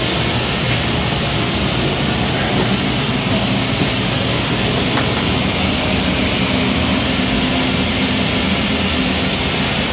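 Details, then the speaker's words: Gas power burner on one of two ganged steam boilers with new 24" Field barometric draft regulator, started on manual override. About 1.5-minute purge before light-off. Steady, unbroken fan roar, no pulsing or flutter; normal purge before lighting. "you'll hear the relay click the burner will start its purge cycle which is about a minute and a half and it will start low fire and go to high fire"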